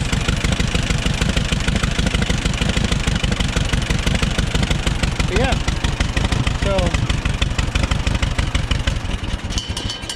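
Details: Auction-bought Allis-Chalmers WD-45 gas-engine tractor: even, steady low thumping at idle, about three beats a second, with no knocks or misses. Normal idle.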